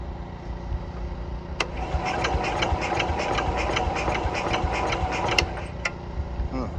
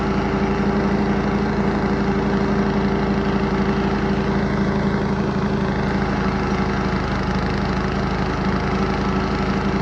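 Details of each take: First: Cub Cadet 104 garden tractor, ant-infested and sitting many years, fresh gas poured in, fuel on, choke used: starter cranks at steady rhythm with sharp clicks but never fires; owner suspects it is not getting gas. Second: Cub Cadet 104 garden tractor, ant-infested and sitting many years, deck and mule-drive belt reinstalled: steady, even single-cylinder beat at constant speed under mowing load, no misses or knocks; fired right up and mows, running healthy.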